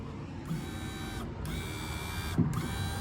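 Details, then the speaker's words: Chevy G-series van, newly installed window regulator motor: smooth, steady motor hum with clean stops and restarts, no straining; healthy, whereas the old motor barely moved the window. "that sounds really really healthy the other one was like it would barely move"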